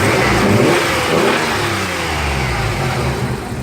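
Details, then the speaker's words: Z car after refilling nearly empty power steering pump: engine revs up and settles smoothly, even and quiet with no rattle or knock; rattle gone, running healthy. "this is awesome listen to this thing it is so quiet it is so nice sounded listen to this"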